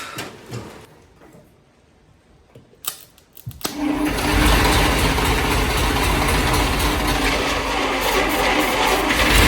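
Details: 1941 Plymouth Special Deluxe flathead running for the first time in 50 years after the stuck-open valves were freed, with oil pressure showing: the engine settles into a steady, even running chatter with no knocks; a healthy idle.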